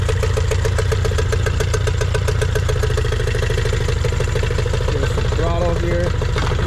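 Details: Nissan 18 hp two-stroke outboard after fixing a too-open throttle butterfly and turning the idle air mixture screw about an eighth turn: steady even putter with regular firing pulses, no misses or surging; clean idle.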